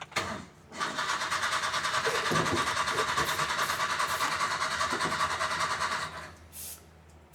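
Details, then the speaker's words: Old Cushman mini truck, revived after sitting, in 105°F Mississippi heat. The starter churns steadily, about 2.5 turns a second for five seconds, but it never fires even with ether. Owner suspects no spark ("not getting fire"); unconfirmed. "Yeah, it's not getting fire or something. It ain't getting no fire. The ether should have caught."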